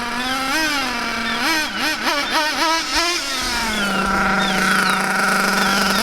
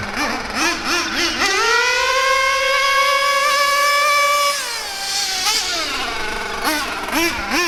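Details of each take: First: Rich high-speed needle on a nitro Mac 28 engine in a Hyper 7 buggy: burbly, soft blips that rise and sag before settling into a lazy drone, heavy blue smoke, sluggish and far below the expected 35–40 mph; set very rich. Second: Bio Hyper 7 nitro RC car with Mach 28 engine, full-throttle passes in cold weather: high-pitched scream climbs, holds steady and drops back cleanly; high-speed needle well set, maybe slightly rich, judged by sound and blue exhaust smoke.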